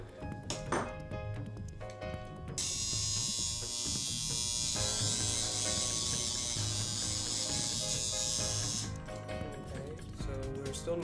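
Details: Modified Andis Outliner trimmer during armature adjustment: loud, harsh high buzz with hard edge for about six seconds; armature set too close to the field, needs backing off toward about half inch.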